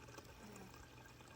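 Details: GE GSS25GMHJCES refrigerator after the repair, fixing erratic dispensing and a loud rattle: steady soft water flow from the dispenser with a low hum and no rattling.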